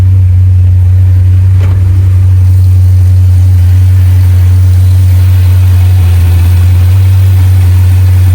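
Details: 2021 Jeep Grand Cherokee SRT 6.4 with a check-engine light and code P0306: V8 idles with a deep rumble and faint unevenness from a cylinder 6 misfire; coil pack or spark plug suspected.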